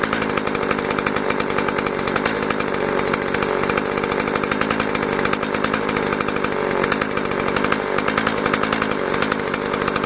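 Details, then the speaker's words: Stihl MS 180 chainsaw after carburetor modification to fix idle that would not hold and stalled: steady, even buzz with no sag or stumble, idling normally after repair. "Ну, я уже проверил, работает все хорошо, и после этого уже решил снять видео."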